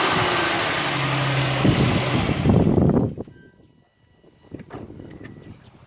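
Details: Nissan VQ35DE V6 revving: rough rhythmic knocking about three or four times a second from the top end of the engine before it drops off; engine knock.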